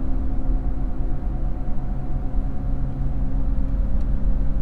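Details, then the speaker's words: GMC Envoy/Chevy Trailblazer cruising at about 45 mph: steady low droning whine like mud tires from a worn front wheel bearing hub; noise stops when the right side unloads in a turn. "normally about 45 is when that wheel bearing hub really starts to whine I don't know if it's the frequency that's just right"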